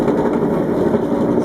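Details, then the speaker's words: Candy GCC 590 9 kg tumble dryer only hums when switched on, and the drum runs once given a start by hand; steady low motor hum. Start capacitor suspected, not confirmed. "it now hums what I'm going to do very carefully give it a start and it works"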